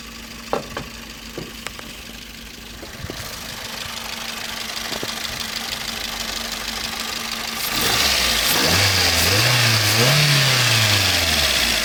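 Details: Toyota Vitz 1SZ-FE engine with regular sharp tapping about three or four per second at idle, still present as revs rise, periodically fading then returning: engine knock.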